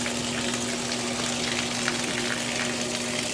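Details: Discarded, non-functional GE washer with a mechanical timer, tested during a drain: a steady pump hum under gushing water with no grinding or rattling, showing normal draining.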